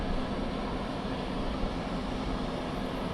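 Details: 12 V fridge vent fan (version 5.5) newly installed behind the fridge vent of a Casita travel trailer: steady, even whir with no rattle, ticking or wobble, airflow felt coming out; running normally.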